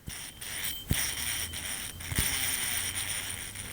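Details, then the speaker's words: 1996 Lexus LS400 with engine running: dry, gritty whirring with faint high tones and two sharp clicks from the serpentine belt idler pulley, worn bearing; tensioner pulley bearings also shot, risk of seizing and throwing the belt. "But while it was running, I noticed that the tensioner pulley and the idler pulley on the serpentine belt system was making some loud noise."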